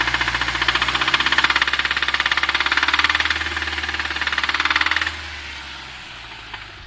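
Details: Audi TT Mk2 2.0T BWA, manual, idling with revs: fast regular metallic ticking knock over the idle that keeps rhythm then drops away; knock from inside the engine, source not yet identified.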